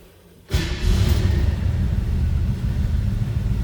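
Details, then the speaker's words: 1972 Chevrolet C10 V8 pickup, cold start: fires instantly on the first turn and drops straight into a smooth, deep, even rumble; healthy cold start. "Pops right off and you turned it over uh battery gauge down here that was a cold start"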